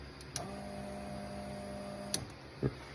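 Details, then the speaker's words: Mad Max-style War Rig project vehicle, engine just installed and rewired, no fuel or coolant yet; button pressed to prime the newly hooked-up electric fuel pump. Faint steady electric hum for under two seconds, then cuts off; pump works normally. "Anyway, I don't know if you can hear the fuel pump turn on or not when I hit the button."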